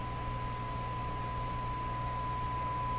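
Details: Stromberg Carlson Model 552 radio, RF alignment on broadcast band with generator at 600, adjusting a trimmer that had come loose: steady tone near 1 kHz over faint hiss, level shifting; weak while trimmer off peak.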